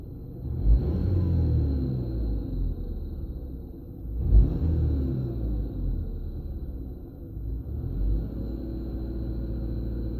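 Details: 2015 VW Scirocco 2.0 TSI 132 kW EA888 CULA, 6-speed manual, stock, 80,000 km, hot engine: throttle blips in neutral each bring a rising whine over the engine rumble; only when hot, not at idle; cause unknown, dealer found nothing.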